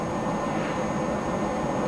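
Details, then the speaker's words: HP Pavilion Media Center PC, fans slowed to 85% in software: soft, steady whoosh with a faint constant high tone, no rattle or surging; fans turning slowly and evenly. "listen to this other one wow really quiet now let's bump it up to 100% and let's drop it back down to 85 cuz that's as low as I'm going to go"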